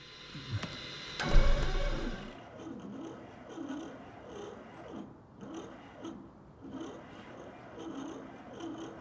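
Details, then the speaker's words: Cessna 401 engine unstarted for over 15 years, fuel system cleaned and injectors reinstalled, battery hooked up: slow, labored cranking with a lazy rise and fall about every half second. It never catches, cranking too slowly. "Son of a gun. I feel like it should be spinning over more."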